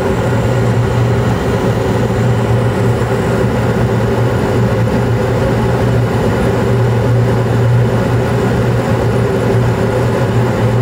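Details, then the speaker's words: Carrier Infinity 96 gas furnace (58MVB), sealed combustion, running in 2nd stage in late April with blower on: constant smooth blower hum, steady low tone, no rattles or scraping; normal furnace running. "It's supposed to be cold and rainy the next couple days, so glad she's still humming along."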